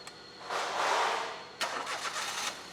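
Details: Engine after the cam position sensor line was reconnected and codes erased, warning light demo: short crank, catches quickly and settles into a quiet, even idle with no stumble; starts and idles normally.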